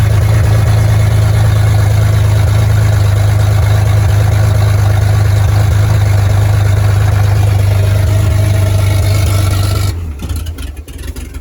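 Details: 1938 Chevy Master Deluxe, chilly Alaska September, running a rebuilt carburetor and starter taken from a 1942 G506: smooth, steady idle with even low beat, no misfire or knock, then shuts off cleanly; runs very well, normal idle.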